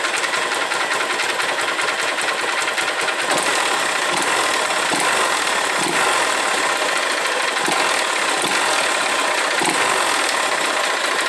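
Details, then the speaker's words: Honda Titan 150 motorcycle arriving misfiring, idling: loud metallic clatter; suspected knock at clutch basket or balancer side, plus upper cylinder rattle possibly piston skirt slap confused with cam chain; top end to be opened. "ó ela tem uma batida do lado aqui Campana ou drenagem do balanceiro E tem também um Maracá em cima aqui no cilindro pode ser saia de pistão confundindo um pouco com corrente de comando"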